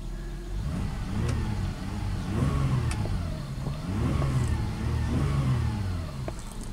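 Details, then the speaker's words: 1994 Lexus ES300 3.0 V6 automatic after adding half a quart of synthetic fluid: reverse works but no drive; the engine rises and falls in free revs with no load, transmission not engaging forward gears. "Let's see if it shifts. Again, don't get your hopes up. Reverse works."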